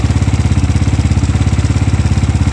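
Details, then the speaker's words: Five-year-old SYM VF3i idle, no gasket leaks or oil consumption: steady fast idle pulses with dry rattly ticking from the cam chain, weak tensioner; fix is a manual or auto tensioner. "Okey, so kalau hampa dengar bunyi bahagian enjin yang ketek-ketek tu adalah antara bunyi rantai kecil."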